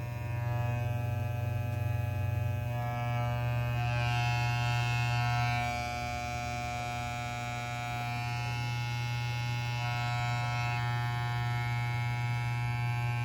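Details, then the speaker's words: Soling Barber Pro Chrome hair clipper, lubricated, with ceramic blade (noisier than the original steel blade): steady low buzz and even high whine, no rattle or labouring; running normally. "claro que se vocês ligarem ela com a lâmina original de aço, ela faz menos barulho, tá? Ela já tá lubrificada, por isso que eu tô ligando direto."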